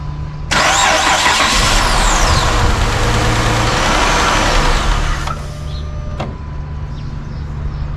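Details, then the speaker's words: Chrysler 300 after PCM replacement to fix injector-circuit misfire, security light blinking: engine starts on first crank, runs better without the miss for about five seconds, then shuts off by itself; cause unconfirmed. "Well, you know what's crazy is it is running better when it is running, but then it shuts off automatically. It's not gonna stay running."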